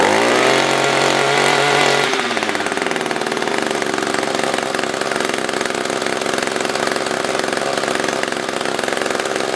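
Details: SRM-210 trimmer after repair (new carb, fuel filter, plug, fresh gas, handle), tank refilled: brief rough idle, then steady high buzzing run without stumbling; normal idle and high-speed run.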